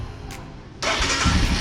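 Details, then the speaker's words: Royal Enfield Himalayan, just after replacing failing battery with new AMCO Z9, fuel injection on: one short crank catches at once into steady idle; clean first-try start. "Whoa, one click and it starts. So after 1.5 hours of work, the bike is finally started."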